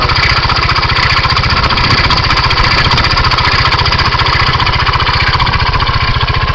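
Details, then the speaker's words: 2007 Kymco Agility 125 scooter, 16,000 km, at steady fast idle with an even putter and a faint regular rattle from the engine area; cause of the noise not yet identified. "this is the 07 Kimco with 16,000 km on it start it up I don't know if you can hear it there's like a speling coming from in here it sounds"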